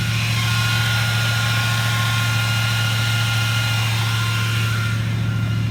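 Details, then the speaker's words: 1975 Ford F-100 V8, parked 17 years, running after a brand new 2100 carburetor replaced one that wouldn't run right, plus new coil, plugs and wires; deep, even burble with steady rhythm and no stumble or miss; normal idle. "So eventually I end up just putting a brand new 2100 on it and it runs pretty decent for what it is"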